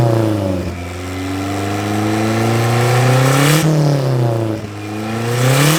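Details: Nissan 240SX drift car just after a new head gasket: revs rise and fall with sharp pops and rasps like backfire through the filter at each throttle change; owner suspected fuel or timing, but points to a damaged turbo compressor wheel.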